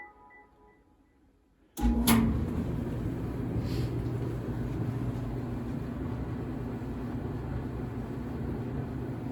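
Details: Whirlpool Cabrio gas dryer WGD7300DW2 after pulley/belt maintenance kit replaced a seized roller that squealed: low, even drum rumble with steady hum and no squeal or rattle; dryer turning smoothly and healthy.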